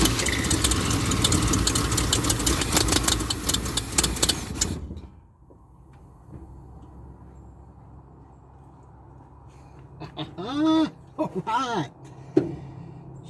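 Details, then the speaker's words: 1976 Ford F250 crew cab parked 17 years, with a new fuel line and a makeshift gas tank feeding the carburettor: it catches, runs roughly about five seconds, then cuts out. Owner hopes it just needs more fuel; the cause is unconfirmed. "she is a runner that's great news that is great didn't run very long but maybe she just needs to pick up a little bit more fuel that's what I'm hoping anyway"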